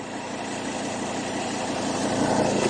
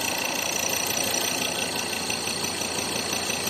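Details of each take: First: Ford Ranger 3.2 diesel idling after tightening the loose top nut: even smooth hum, no knock or clunk; the suspension noise is gone. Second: Ford Ranger 3.2 diesel idling: light irregular knock about three per second, thought to be engine, stops when body is pressed down; loose shock absorber top nut, not the engine.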